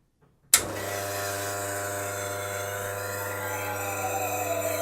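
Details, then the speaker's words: Wega commercial espresso machine, autofill test with the steam wand open and the level probe connector pulled. An even pump buzz starts abruptly with water hissing through the wand, then pushes excess from the pipework once the level is detected; autofill works properly. "once it's detected that there is adequate water in there and you'll have seen the light flashing as well as that was doing that and this is now just sort of pushing out the excess that's currently in the pipework"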